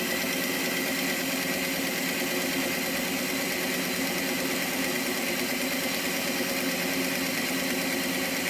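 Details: Repaired Hornby Class 57 model loco, previously dead, on rolling road test bed; even steady motor whir with constant pitch, no stutter or grinding; a really good runner.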